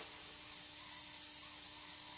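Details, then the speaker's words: Propane power-valve calibration run on air with 5 lb of simulated boost; spring pressure is backed off until flow resumes, setting a 5 lb start point. A steady, even hiss over a faint hum shows propane flowing freely again. "now I'm backing off on it taking spring pressure off and you can clearly hear the propane is starting to flow again"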